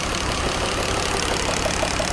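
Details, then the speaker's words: BMW buggy engine at rough idle: dull, regular tapping knock in time with the engine, heard over loud injector noise; deep internal knock, owner suspects a piston, unconfirmed. "Хлопа си. Някой бутал иска да бяга, ама... Ще видим."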